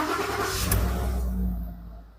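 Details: 2014 Ford F150 after repairing a bad wire causing CHT sensor code P1289 and false Engine Overtemp warning: quick crank catches cleanly, short rev, settles to steady idle, engine still cold; starts and runs normally after fix.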